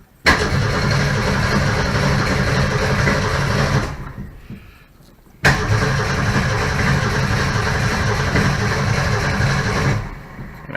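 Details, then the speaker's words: Straight-six, carburetor partly swapped to a 350 Holley and unfinished, being replaced by a 351 Cleveland: two bursts of steady starter cranking at about four turns a second, no firing; cranks but won't start, cause unconfirmed. "not gonna start lovely"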